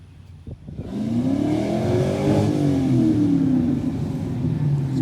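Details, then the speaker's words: 1990 Ford Mustang 5.0 V8 Fox Body drag car: it revs hard, then turns ragged and uneven near the top before lifting off, breaking up at high rpm while fuel pressure holds at 30; cause unknown despite repeated fuel pump tests. "but did you hear how it's starting to break up right that's why i let off"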